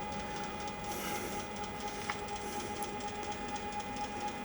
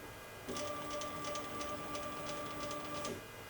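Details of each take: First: Genmitsu CNC on a wireless offline controller, jogging left after holding the button a few minutes: an even, steady high stepper whine, with a lower tone joining later and no skipping or grinding; normal jogging. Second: Genmitsu PROVer V2 4030 CNC run from the wireless offline controller: steady electric hum with fixed tones for about 2.5 s, no ticking; the stepper is energised but the axis won't jog, cause unknown.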